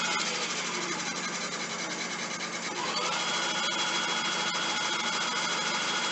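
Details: E-bike hub motor run on the stand via thumb throttle, battery about one-third charged: smooth electric whine climbs as the wheel spins up, then holds steady high hum with no grinding or knocking; faint rubbing from unadjusted brake when pedaling.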